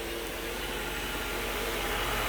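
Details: Mercedes 500SL R129 M119 V8 with mechanical fuel injection, started after sitting over a month: smooth, even idle with a soft hiss, no knocks, misses or ticks; normal idle.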